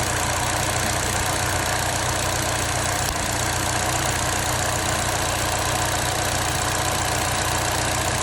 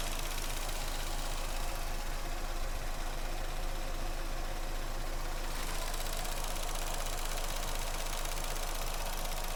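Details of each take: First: Vauxhall Astra petrol engine idling with a faintly uneven low pulse and steady hiss: the cylinder 2 ignition coil is arcing out, so the spark doesn't reach the plug, causing the misfire. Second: Vauxhall Astra that had a cylinder 2 misfire from a broken coil pack. After the coil pack was replaced, it holds a smooth, steady idle with an even beat and no stumbles; no misfire.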